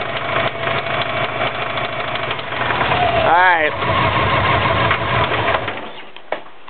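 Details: 2004 Subaru WRX stage 2 engine (stock turbo/TMIC/injectors, Enginuity tune, 22 psi boost, downpipe, 2.5" cat-back, up-pipe), heavy knock since doing donuts on pavement: deep, regular knock about three per second through the idle until shut-off; rod knock suspected, unconfirmed.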